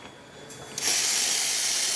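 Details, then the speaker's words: Profitec espresso machine after repair of leaks at a cracked part and the temperature sensor, plus a replaced wire to the brew boiler heating element: a quiet start, then a strong, steady high hiss. Normal steam wand output. "We have water coming out there. We have steam."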